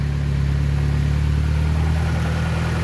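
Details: Euro-R-swapped Honda Accord, started after sitting 17 years, running without an alternator belt, cooling or power steering: a deep, steady idle with an even low beat and no misses or stumbles. Normal idle.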